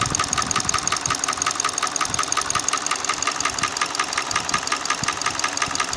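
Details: Hyundai ix35 petrol engine: sharp, even metallic tick about three times a second over a steady idle; a knock inside the engine, source not pinned down.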